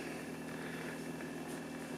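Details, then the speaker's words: BMW electric water pump on PWM control with about 9–10 V supply and the duty cycle raised: steady, even hum and constant whine at about half speed, running smoothly. "Let's turn the duty cycle up so you can hear it. Okay. So, it's running about I don't know half speed or something."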